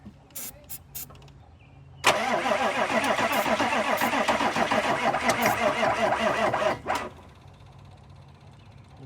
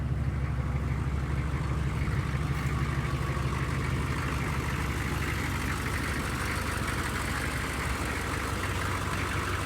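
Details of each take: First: 1995 Chevy OBS 6.5 diesel: starter turns slowly, about four labored compressions a second, with no fuel from injectors yet, and never catches; batteries too low to crank fast enough, need more charge. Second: 1995 Chevy 6.5 diesel pickup, restarted after glow plugs following about 20 hours sitting: deep, steady diesel clatter around three beats a second with a smooth, even rhythm; healthy idle.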